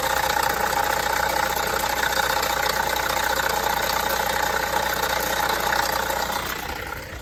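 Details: Vauxhall Astra 1.6 four-cylinder idling with a fast, light rattle over the engine note, present for a few months; Vauxhall dealer sees no problem; source not pinned down by ear.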